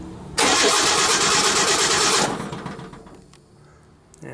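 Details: 1964 Ford Econoline van, 170ci six with points ignition, crank-no-start: the starter spins the engine evenly for about two seconds but it never fires. Points and condenser are switching; the owner suspects the coil.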